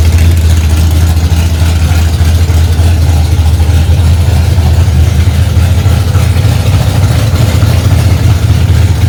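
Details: 1965 Ford Mustang, freshly rebuilt 289 small-block V8 settling in cold after its first start: strong, steady low rumble at a quick, even fast idle with no knocks or misses; healthy.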